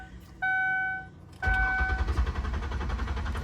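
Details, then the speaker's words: 2003 Ford Windstar van (200 hp) with water in its gas tank, cranked in neutral: a warning chime, then the starter churns unevenly and the engine tries to catch a few times but never runs on its own; cranks, no start, cause suspected, not confirmed. "Putting it in neutral. Okay. So, it did try and start. is trying to start."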